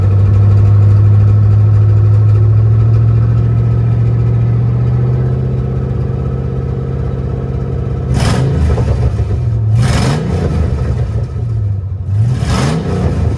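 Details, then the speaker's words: C3500HD V8 warmed up (gauge above 100), idle faintly uneven and lumpy with a few throttle blips; owner thinks slight misfire on one cylinder, not a dead cylinder: slight misfire at idle. "I don't think it's down a cylinder. I think it's just a slight misfire on one."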